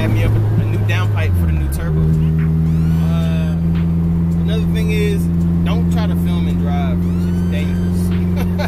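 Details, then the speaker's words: Honda Prelude F20B with new Precision 6266 turbo and downpipe, charge pipe not yet connected: steady engine drone with sharp rising and falling whistles on throttle changes as boost vents straight out the open compressor outlet. "So, yeah, you can hear the turbo whistling mad crazy because it's, obviously, it's not, well, I need a 90-degree bend off the turbo to the charge pipe. So, literally, all the pressure that's building is going straight out the front of the turbo."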